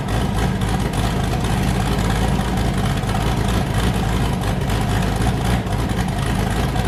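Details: Boosted V8 with a new cam, fired up after a repair and not yet warm; it had earlier hit 23 psi and blown a coupler. A loud, lumpy idle with a hard, even chop on all cylinders and no misfires: a normal choppy cam idle.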